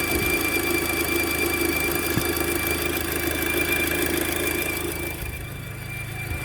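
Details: Audi TT Mk2 (8J) at smooth idle with V-belt removed after replacing alternator pulley, tensioner pulley, V-belt and A/C clutch pulley: thin steady high squeal from the accessory drive area, constant with engine speed; source unconfirmed.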